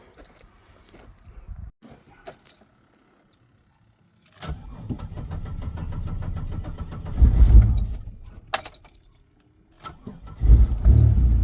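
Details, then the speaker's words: 2000 Pontiac Grand Prix GTP, not run in a few years, needs a transmission, jump-started: after some key rattle it cranks, catches and settles into a low, slightly uneven idle, running on its own. "Well, there we go. Fires up."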